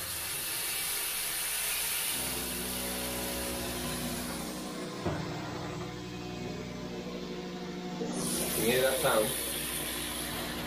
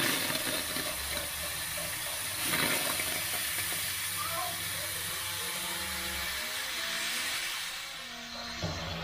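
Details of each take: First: Water hammer heard while water runs from a kitchen mixer tap: running hiss with a steady droning judder in the pipes, also whenever cold taps or the toilet are used; caused by the tap dripping constantly, fixed by replacing the tap. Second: so you can hear the water hammer is solved now so the water hammer's gone so it was the trap that was causing the water hammer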